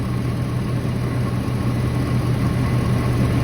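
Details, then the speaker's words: 2011 Ford 6.7 Powerstroke diesel after replacing an injector and programming the new code: smooth, steady idle with the previous ticking gone; engine sounds healthy. "But, she's purring, running good. I don't hear the little ticking sound that I was hearing before that prompted me to want to change it."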